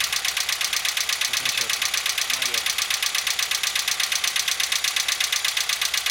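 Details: Engine knocking and clattering at idle, diesel-like: sharp regular ticking about three per second, a top-end knock; the rocker arms turned out to be the cause.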